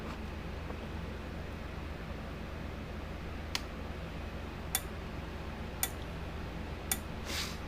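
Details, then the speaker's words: 1987 Parmak Super Energizer SE-1 fence charger under repair: four sharp, evenly spaced clicks about a second apart over faint hum. It pulses normally with about 9,500 V output, but the needle gauge does not move. "all right well sounds good but the needle gauge isn't working"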